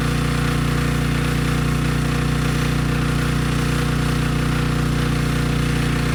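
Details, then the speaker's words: Briggs & Stratton Storm Responder generator after cleaning a dirty carb, running on a test tank: started right up, even steady drone at constant speed, no misses or surging; sounds good. "okay good no surprises the engine started right up it sounds good"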